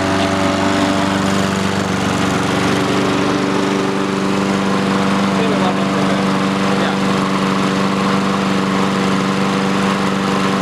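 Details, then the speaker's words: Free roadside Honda-engined lawnmower running after its fuel valve, previously off, was opened and choke used: small single-cylinder engine at a steady, even pace, constant drone, no misses or knocks; healthy running. "sweet cool that's sick it works"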